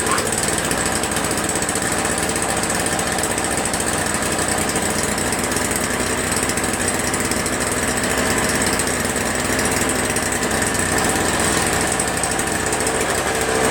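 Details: Toro Snow Commander 7HP R-Tek 24" single-stage snowblower, previously no spark and wouldn't start; spark returned by itself without magneto replacement: single-cylinder engine holds a steady, even fast chatter, no misses or surging; running normally.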